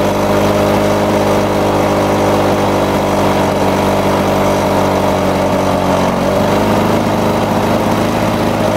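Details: Lawn-Boy two-stroke mower after air vane governor install and spring tension increase: steady, even buzz with a brief dip and recovery, roughly 75-100 rpm fast; healthy governed running.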